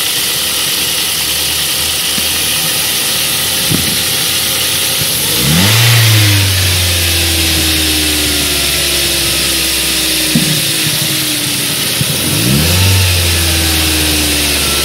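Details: Ford 1.8 Duratec petrol engine idling then blipped three times: sharp pops and a light rattle, suspected from the intake manifold flaps; cause of the popping unknown.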